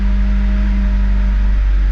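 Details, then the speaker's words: 1996-2000 Honda Civic LX, D16Y7, warm idle: the engine runs rough, the note sags and recovers as the RPM gauge bounces, and it nearly stalls. A dirty idle air control valve was the cause, and cleaning it fixed it. "as you can hear and see that uh RPM gauge is kind of bouncing back and forth and it's starting starting to stumble it wants to idle down but uh it'll uh catch itself from uh turning off and uh RPM goes back up"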